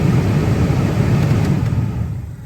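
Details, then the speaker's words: Saab 9-3 (2004+, manual climate control) cabin blower fan on lowest setting after replacing the failed blower motor resistor that kept the fan running constantly; steady low hum, a bit loud but even, then easing off; blower running normally. "I'm gonna go over there now and listen to the fan, what it sounds like when it's running."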